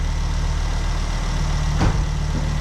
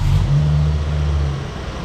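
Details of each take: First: Ford Focus ST barn find after its first start and misfire cleared. A steady, even low idle with one brief puff, which is the dump valve "sneeze". The engine runs sweetly and has oil pressure. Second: Ford Focus ST barn find at its first start after fuel priming, with compression on all cylinders. A lumpy, stumbling low idle right after start is a misfire. Old bad fuel in the injector rail (no return system) is suspected, and it begins to clear.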